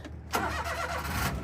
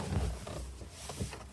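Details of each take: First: JDM car that had flooded after being run low on gas, with its battery since charged by the shop: brief crank, then it catches straight away and settles into an even idle. Clean, normal start. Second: Daihatsu Midget: uneven cranking for about four seconds before the engine stumbles and catches into a rough idle on a second start; hard restart, owner suspects it dislikes being restarted before warming up.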